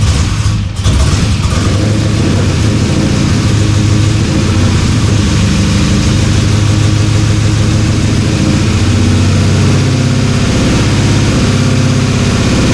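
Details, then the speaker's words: LS-swapped Dodge Dakota after a year of sitting, started after switching to the internal one-bar MAP: rough, uneven V8 idle with a lumpy, stumbling beat, sounding like it runs on one bank. Owner suspects injectors not injecting properly; some headers stay cold. "it runs not well but it runs I don't think those injectors are injecting as as they should but hey that's the best start so far"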